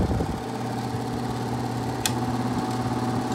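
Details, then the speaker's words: 1982 Hotpoint (GE Fashionaire) 9,700 BTU air conditioner, worn and beat, with shot compressor mounts but still fully charged: fan motor bearings are long shot, giving a steady hum with a rough, uneven drone and an odd click; needs a new fan motor. "these new fan motor definitely for sure either a fan motor repo these things are usually pretty quiet these fashion airs"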